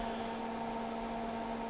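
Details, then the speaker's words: Tektronix TDS360 200 MHz two-channel digital oscilloscope powered on by grounding power-switch pin 12 of the front-panel flat flex: steady fan whoosh with constant low mains hum, no rattles; fan runs normally, but power push button faulty. "Hope you can hear that. The fan's running, LEDs are on, and hopefully in a second or two we should see the CRT."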